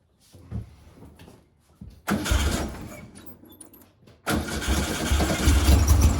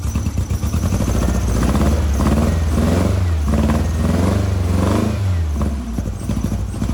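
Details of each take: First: 1956 VW Bug flat-four with twin replacement 40mm IDF/HPMX carbs, after working on the fuel-dumping carb: cranks, catches twice, settles into fuller steadier chatter on all four cylinders; best it has run lately, linkage and carbs still unsynced and out of adjustment. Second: 1956 VW Bug flat-four, twin replacement 40mm IDF/HPMX carbs: lumpy uneven thrum wavering as revs rise and fall, only two cylinders firing on the passenger-side carb while the driver-side carb is fuel-starved with adjustment screws disconnected.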